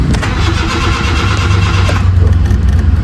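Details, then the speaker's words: Honda City, during repair with the newly bought ICV not fitted: starter churns in uneven heavy pulses without a clean catch, temperature-related hard start, idle still high afterward. "temperature hard start to kanina eh na oh taas pa rin ha taas pa rin"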